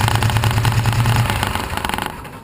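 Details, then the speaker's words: 2006 John Deere Gator 620i idling after fuel pump replacement and reassembly: steady low thrum with no pump whine, then trails off; engine running right. "I've already tried the engine seems to be running real good"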